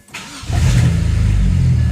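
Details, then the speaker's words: Car started in neutral before A/C recharge: short crank, catches at once and settles into a smooth even low rumble; normal engine start. "Starts like a dream."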